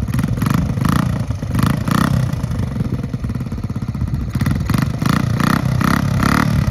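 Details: 1969 Honda Z50 (Z50A) mini bike, after full tune-up, oil change and valve adjustment, on a test ride, a little cold at first. Single-cylinder putter rises and falls with the throttle, firing evenly with no misses or knocks. Running clean, riding good.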